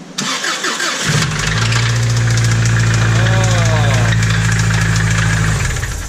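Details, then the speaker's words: Subaru rod knock: after repeated third-gear highway runs bouncing off the rev limiter, the petrol engine cranks, catches and idles with a loud, steady metallic knock about three to four per second; rod knock suspected, not confirmed. "god just slapping around in there knocking harder than Jehovah Witnesses man it's bad dude sounds so bad"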